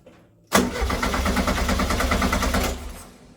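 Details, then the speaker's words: Herthing with a newly fitted Weber 44 IDF carburetor: engine catches sharply, runs ragged for about two seconds with no throttle, then dies. Owner suspects the idle jets are too small to supply fuel. "so what it's looking like is that the uh the uh the gasoline Jets or the idle jets are too low so if the if those jets are too low it's not going to get any gas so not getting gas it's not going to start"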